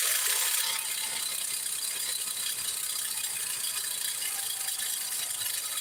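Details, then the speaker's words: 2005 Hyundai Sonata 2.4L during timing belt replacement, engine mount not installed, pulleys not fitted: thin metallic rattle over steady hiss; source unknown, water pump, loosened parts, or alternator vibration suspected but unconfirmed. ">> I don't know what that noise is. >> Oh, it might be the water pump."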